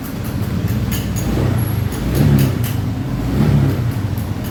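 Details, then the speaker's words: Honda Vario 150 scooter on its center stand after fixing a non-starting fault: low, even engine drone with mild swells and no rattles or tapping. Normal running. "The first case here didn't start. If you crank it, it works."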